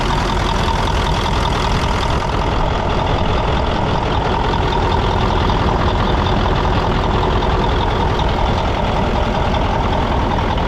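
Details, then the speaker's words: Mack CL713 E9 V8 500 hp diesel, just purchased: loud steady low rumble with even beat, no knocks or misses; smooth, healthy normal idle. "As you can hear it, it runs pretty smooth."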